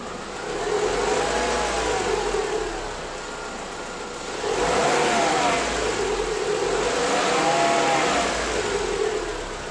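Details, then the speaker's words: Renault 16/24-valve petrol engine, very hot, 15,000 km after timing set change with new original Aisin camshaft dephaser pulley: even hot idle, only normal light injector ticking, no rattle or clatter. "Except for the gasoline injectors noise, which is the normal "feature" in these engines, you will not hear anything wrong here."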